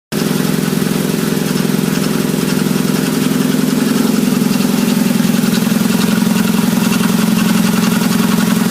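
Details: 1997 Nissan Altima with low power and stalling: loud even idle with steady clattering pulse two to three times a second; cause was a rubber gasket seal torn after overheating from non-working fans.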